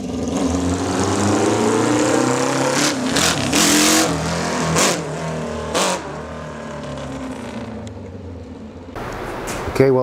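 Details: 1979 Kawasaki KZ650 four-cylinder bobber, on first start after a new fuel tank: revs up cleanly in a few quick blips and drops back to an even idle, no stumble; a torn carb boot was later replaced and the carbs synced after a number-four vacuum leak.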